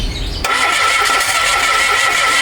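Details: Mitsubishi Mirage G4 cranking: steady starter whir with a constant high whine throughout, and the engine never catches; cranks but won't start.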